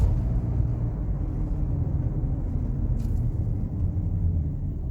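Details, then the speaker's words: 2012 VW Amarok 2.0 L diesel after replacing the tail shaft universal joints that caused bad vibration on deceleration: steady, even low road rumble climbing under load, then smooth downhill back in gear, no thumping or shudder; normal driveline. "no vibrations back into gear down the hill smooth as anything smooth as no problems this thing's fixed"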